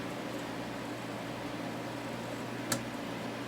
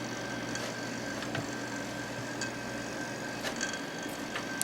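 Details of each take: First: Small unbranded desk fan after servicing: soft steady hum and low whir with one small tick, now aimed downward. The noise occurred only when blowing upward; normal running. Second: Small unbranded desk fan during servicing: faint regular tick about once a second over steady fan hum, only when tilted to blow upward, not when straight or downward; source not found.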